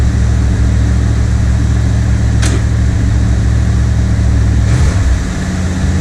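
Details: 1979 Chevrolet Corvette C3 V8 cold start at its newly set cold idle speed, now correct; owner notes it sounds a little different from last time despite little adjustment. Steady deep rumble at raised fast idle, even and smooth, settling down; healthy.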